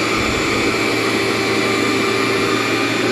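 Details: Cleartrak/Workhorse vacuum after brush and belt replacement, set to floor: loud steady motor whine with even brush roar, no flapping or slipping; running normally.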